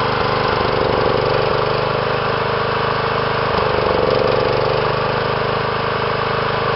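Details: John Deere small engine idling unevenly with irregular lumpy pulses and wavering speed; rough running.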